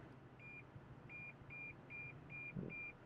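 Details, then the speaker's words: Toyota Sonar Assist parking sensor reversing toward an object behind the car: quick beeps about two and a half a second, a close-range warning that the car is about to hit it. "there you go now means that we're at much closer distance now we're actually going to be able to hit the object in the back which we don't want to do"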